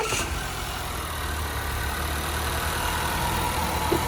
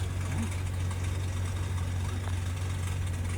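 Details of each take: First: Honda after repair, previously skipping and running bad; one cylinder wall has slight scoring: even steady idle then sharp throttle blips rising and falling cleanly, all cylinders firing; normal idle, needs driving to clean out cylinders. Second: 2018 Honda, 190,000 miles, smoking: deep steady idle hum with a faint loose rattle on top; idle not normal, turbo suspected of rattling, not confirmed.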